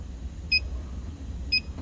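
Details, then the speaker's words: R-290 cooler that was not working: the electronic leak detector gives two sharp, fast beeps over a low hum as it speeds up near the evaporator, pinpointing the refrigerant leak there. Nothing is detected above it. "Yeah, it's definitely picking it up. You can hear the leak detector speed up."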